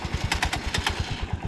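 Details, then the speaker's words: Cold start in very cold weather, after fuel additive mixed into the tank: catches on the first press and settles into a quick, even putter with no stumbling. Normal cold start. "So, napakalamig ng panahon, pero one click pa rin yung ating Supita."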